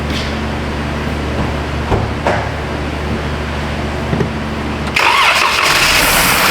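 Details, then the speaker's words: 2012 Jeep Grand Cherokee 3.6, cranks normally but no start after dying on the road; starter fluid sprayed into intake, it runs unevenly a few seconds then stalls on its own: fuel delivery fault. "It stalled on its own, so there we go. We know what the answer is. We have a fuel delivery issue."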